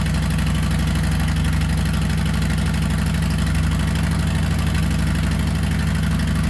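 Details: 2020 Harley-Davidson Softail Street Bob with newly installed Two Brothers Racing 2-1 Shorty Turnout stainless exhaust: deep, loud, even lumpy idle at about three pulses a second, no misfires or ticks; much louder and deeper than stock, healthy V-twin.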